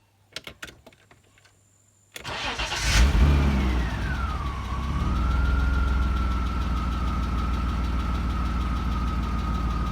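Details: BMW E34 525i with M50B25 2.5 Vanos engine: starts after a short crank and settles to an even idle with a faint light ticking on top, a tapping hydraulic lifter.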